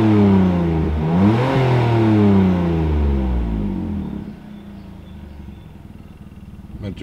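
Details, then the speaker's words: BMW E46 M54 after replacing the cylinder 1 ignition coil and clearing the misfire code: engine revs up and settles back smoothly to a steady idle, even firing, no stumble; runs noticeably better, exhaust still has holes. "mult mai bine motorul acuma un pic așa mi se pare"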